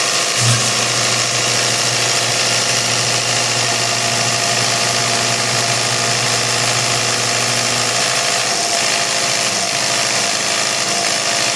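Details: Isuzu 4BC2 diesel after injection pump cleaning and calibration/setting to cure hard starting: steady, loose but even diesel clatter at idle with no stumbling or dying; normal idle.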